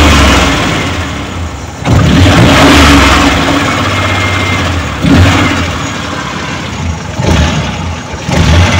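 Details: Suzuki Multicab F6A carbureted engine that would not start, now running after carburetor overhaul and cleaning, float valve and distributor adjustment: idles evenly, revs cleanly several times and drops back to a steady idle with no stumble, sounds healthy.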